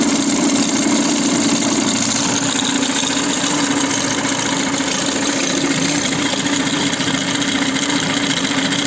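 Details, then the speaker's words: Citroën C4, phone microphone held near a recently replaced timing belt tensioner pulley: a harsh steady whirring rasp with a mid-pitched drone over the engine; the new tensioner pulley is behaving strangely and is the noise source. "comme vous pouvez le voir quand on l'a mis près du galet tendeur la partie micro ça écoute beaucoup plus et il y a un bruit très moche"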